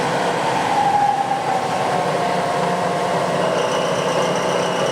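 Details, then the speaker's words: Clausing 20-inch drill press, two-speed three-phase motor in the 1.5 hp high range, not yet lubricated, spindle from about 300 up through 750 to 2,000 rpm: steady, even motor hum and smooth whine, no knocks or grinding; runs smooth and quiet. "So in high speed, all the way down to about 300 RPMs, you can see the spindle there. Then I'll crank it up to about 750. 750. I'll crank it all the way up to 2,000 here. So there's 2,000 RPMs. It actually runs pretty smooth and quiet."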